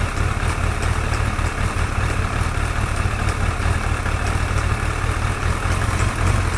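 Steady engine drone with faint, light high ticks riding on top; there is a top-end tick of unknown cause.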